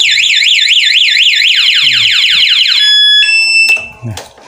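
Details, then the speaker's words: 2022 Honda Beat Street scooter with aftermarket Nine A1 remote alarm, ignition tampered in silent mode: loud warbling siren sweeping about four times a second then steady tones; anti-theft alarm triggered. "cuma posisi dikontak tetep Thief ya De walaupun calon kalau di kontak atau dibobol orang dia tetap bunyi alarmnya"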